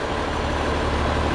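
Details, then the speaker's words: 1961 Ford Falcon after points, timing, plug gap, carburetor rebuild and valve lash set at 0.018 in cold; steady, even idle with smooth low hum, no rocker ticking, quiet bottom end, healthy. "like I was talking about before you know I set them at 18 cold it runs perfect sounds good deal that motor sounds healthy too the bottom end sounds nice and quiet"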